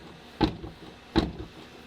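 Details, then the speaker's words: Cat S crash-damaged VW Polo R-Line with no coolant, so the engine is not run. Three sharp metallic clunks about 0.75 s apart as the door is rocked: the door has dropped and is knocking. "the door has dropped and it's kind of knocking"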